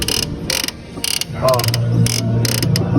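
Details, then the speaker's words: VW Up with the engine idling: dry creaks about twice a second as the clutch pedal is worked. The noise comes from the gearbox-side clutch release actuator that pushes the pressure plate, which needs greasing. "Então, galerinha, o barulho vem daqui do câmbio,"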